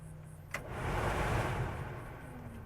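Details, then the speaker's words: 1989 Chevrolet R3500 square-body dually, AC R134a retrofit: a click, then a soft rush of air settling to an even low hum; the heater/AC blower motor runs normally on low, though its third speed is missing. "All right. All right, you can hear it running on low. Listen."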